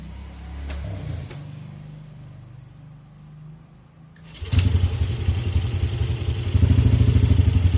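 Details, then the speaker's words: Yamaha Aerox after error 37 cleared and idle speed control (ISC) reset: quiet lead-in, then engine catches and settles into a steady, even idle with no hunting; running normally. "Nah udah nyala ya guys motornya dan kondisinya normal ini seperti ini"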